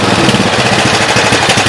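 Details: Craftsman T100 riding mower with Briggs & Stratton engine, after replacing the carburetor with an aftermarket unit. Fast, steady, even chatter with no misses or surging. Healthy, normal running after the carb swap.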